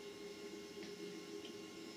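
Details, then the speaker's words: Humax Freesat box fed through a Triax Tri-Link RF modulator: a faint steady hiss with thin whining tones and a click, the box's high-frequency audio noise being modulated. This is RF modulator audio interference. "If I change channel to the Triax listen to this. You get all this interference."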